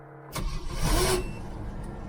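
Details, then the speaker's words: CJ-7 with new Holley Red electric fuel pump, primed with five pumps, warm afternoon about 80°F after sitting: quiet then engine catches and settles to low steady idle, almost caught first try, slightly easier than before. Normal start. "well it's a little bit better not as good as I was hoping for but it is a little bit better almost caught that first time"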